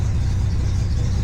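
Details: Datsun 240Z idling after installing a secondary fuse box with relay to take load off the stock fuse box: low, steady, even rumble with no misses, ticks or knocks; normal idle.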